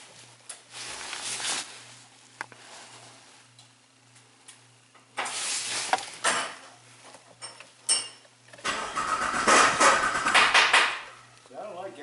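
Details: Jeep Liberty after an engine swap with a replaced cam gear: several bursts of steady starter cranking, each stopping without the engine catching; no RPM signal though cam and crank counts register.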